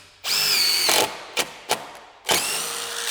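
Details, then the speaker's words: Impact driver driving a screw: high-pitched motor whir that turns harsher and rattly as the hammer mechanism engages once more torque is needed; normal operation. "lo notará en El sonido que oirá este disco en como un conductor que va a ir directamente en pero tan pronto como el taladro percibe que necesita más torque que es cuando comienza para activar ese mecanismo de martillo y Ahí es cuando sale ese ruido del surge la vibración"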